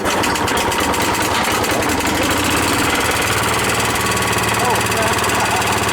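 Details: Newly fitted small single-cylinder engine on a concrete/cement mixer, just started on choke: runs fast and steady with an even rapid beat, no knocking; owner thinks excess oil in the air filter is being blown out when revved. Normal running.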